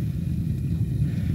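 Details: Homemade propane torch, needle valve about a quarter turn open: steady deep roar, constant low rumble with no flutter, while gauge reads way over 30 PSI; owner unsure if normal, suspects possible air-lock; propane torch roar.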